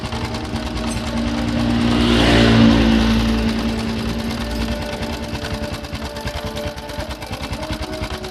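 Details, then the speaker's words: Honda Supra X 125 motorcycle idling, rough noise from engine block/head front; after cam chain tensioner bolt was adjusted, fast even sewing-machine clatter about three ticks a second remains; loose cam chain suspected, engine top-end rattle. "Ini udah saya putar. tapi suaranya masih ada, masih bunyi. Ini kayak suara kamrat."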